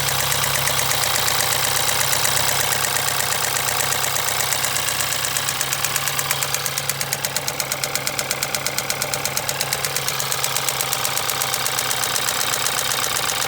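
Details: 2013 BMW 320i N20 engine running: sharp, fast ticking, roughly three per second, rides steadily over the engine; loud top-end ticking, cause not yet pinned down.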